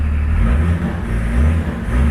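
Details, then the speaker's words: Range Rover P38 diesel after fuel injection pump timing adjustment (now 4.5–4.8, spec 4–5), following a no-power/won't-pull fault and gearbox fluid changes: deep, steady rumble revving cleanly and quickly with no hesitation; normal revving, throttle response now brilliant. "absolutely brilliant throttle response now. So we're hoping that's fixed the problem."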